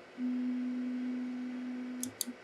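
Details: Biqu B1 Bowden 3D printer homing normally with no probe: a steady stepper hum for about two seconds, two sharp clicks against the endstop, then a brief back-off hum. The printer came in with a bad X axis endstop.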